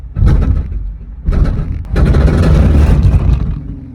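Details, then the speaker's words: Genesis car being loaded onto a trailer: repeated heavy grinding bursts as the clutch is released, engine labouring, car unable to move; the diff was then found touching the ground. Cause not confirmed. "Oh my God, I've never heard a car sound that bad, genuinely. Out of every car I've experienced, that is the worst sounding car I've ever heard."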